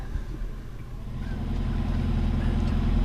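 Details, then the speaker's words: 4.5-litre V8 car fired with the push-button start; deep, even burble at idle with a steady low rumble and no ticks or misses; normal idle. "start button fires right up man it it sounds good"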